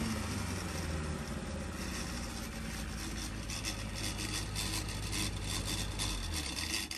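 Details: 1200 engine on dyno, quick off-load run (microphone unplugged for loud noise): crisp, even exhaust note revving up and settling cleanly, no knocks or rattles; engine dynamics right, running healthy and free revving.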